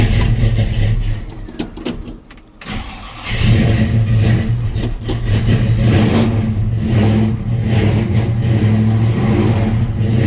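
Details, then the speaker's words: 1967 Chevrolet C10 V8, cold start after sitting several days: cranks briefly, catches and settles into a deep, even lumpy idle with smooth blips; runs good but very cold natured. "runs good. You can hear me. Very cold natured."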